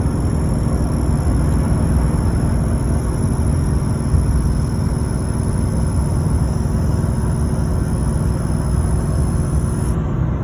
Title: LBZ Duramax Turbo Whine